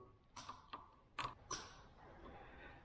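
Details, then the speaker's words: 2008 Kawasaki Vulcan 900 Classic LT, laid up eight years, new battery fitted: about five faint dry clicks in under two seconds with no spin; bench test shows the starter pulls 10 amps and only clicks, so it's judged bad and a new one ordered. "I pulled the starter off I tested with my power supply and it's rated it it'll go up to 10 amps and when I touched it to the starter it Peg down a 10 amps and the starter just clicked so I just I thought the starter was bad so I ordered a new starter"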